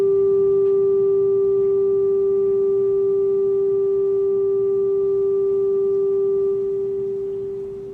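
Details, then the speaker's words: 1967 Fender Deluxe Reverb tube amp, original and just repaired, playing a test tone of about 400 Hz to 1 kHz: clean, steady single tone with no hum, crackle or distortion; amp passing signal normally. "let's see if I get some uh some tone out of this should be about one kilohertz 400 Hertz well does that sound like music sounds like music to my ears"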